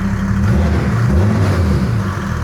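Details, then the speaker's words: Land Rover 110 build diesel on first drive with new inlet manifold, intercooler and radiator fitted, good oil pressure: deep raspy engine pulling cleanly as revs rise; much more responsive with the manifold on. "Sounds very different with the intake manifold on quite a bit more responsive."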